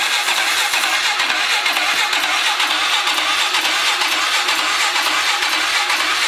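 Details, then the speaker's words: 2003 Polaris 500 H.O. ATV that sprays oil into the airbox, cranked with no fresh gas and bad gas smelled. Steady cranking at about two beats a second with hissy, uneven firing attempts that never run; cranking without starting. "almost starting up though. Wish I had some gas. I didn't think to get none."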